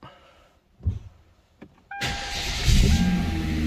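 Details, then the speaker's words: Hyundai Genesis 3.8L engine after the engine swap, new belt and a crank pulley bolt torqued to 224 ft-lb: short crank, then a quiet, steady, even idle with no rattle or ticking. "it's a pretty quiet engine so that's good no more noise"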